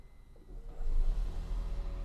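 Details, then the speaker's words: 2013 Toyota Prius C after replacing its failed nickel-metal hydride battery with a NexPower lithium battery, first start with full battery shown. Deep rumble swells as the petrol engine fires and settles into a smooth, even low drone; healthy hybrid start. "Engine kicks right on."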